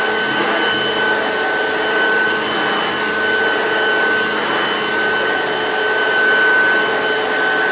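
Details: Vintage Hoover Junior upright vacuum, recently repaired, the better-running of two: steady even motor whine with constant airflow rush and no screech; normal running.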